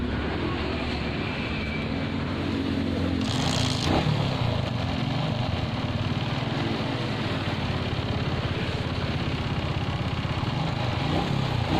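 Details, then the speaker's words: Suzuki Shogun 125 with shorted CDI that sparks on electric start but not on kick start: small single idles unevenly with a wavering beat and some handling clatter; suspected shorted CDI. "Oke teman-teman jadi seperti itulah untuk permasalahan pada bagian Shogun 125 ini yang mengalami cdi-nya cor ketika di starter nyala Jika di itu tidak mau nyala ya teman-teman"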